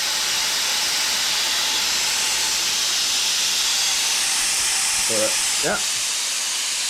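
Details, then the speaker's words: Intake manifold pressure test with shop air, throttle blade wedged open: a loud, steady high-pitched hiss while pressure holds. Air seems to be leaking at the fuel pressure regulator under full pressure; otherwise the manifold holds. "Sounds like it's leaking on the fuel pressure regulator whenever you're really hitting it. So, I hear it leaking over here."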